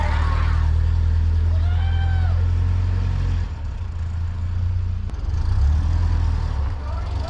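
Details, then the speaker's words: Bus with rebuilt air-cooled 1.7 flat-four, new starter fitted, first drive around the cul-de-sac: steady even low rumble pulling along, no knocks or misses; running healthy, still needs tuning. "Yeah. Rebuilt the motor. It's running good. Sounds good."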